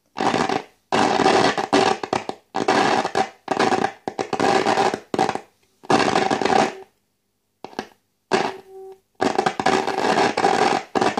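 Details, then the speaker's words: De Wald model 310 five-valve AM/SW tube radio, 470 kHz signal fed into the antenna: hiss and crackle cutting in and out in bursts, with no station coming through. A shorted variable tuning capacitor is blocking reception. "se quiere oír de fondo pero el cortocircuito que hay en condensador y seguro que es el condensador no nos permite oír la"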